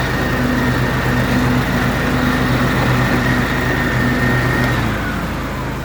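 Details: John Deere L130 riding mower deck after replacing the bearing housing whose bearings went out, deck reinstalled and engaged: steady engine hum, blades spinning smoothly, no grinding or bearing squeal; normal deck operation, issue fixed.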